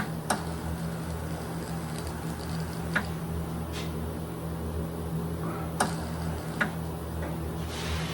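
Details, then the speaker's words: Greener KK HD powder coating spray gun humming with sharp crackling snaps because kV setting is turned up quite high, while coating a bird bath; electrostatic arcing from high voltage setting. "I can hear the crackling cuz my KB is up quite a bit but I'm using a Greener uh KK HD system right now and I use it for like small projects I can hear it crackling but as long as I stay back it should not spider the work"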